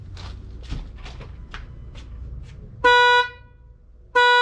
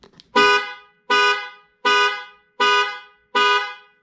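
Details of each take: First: 2018 Ford F-150 2.7 EcoBoost horn giving three short blasts with only a thin high single note and no deeper tone; the low-tone horn has failed, before replacement with a new Ford part. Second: 2018 Ford F-150 2.7 EcoBoost after its weak, Prius-like horn was replaced, sounded through the panic alarm: five loud, full two-tone blasts with no thin note. The horn is now fixed and healthy.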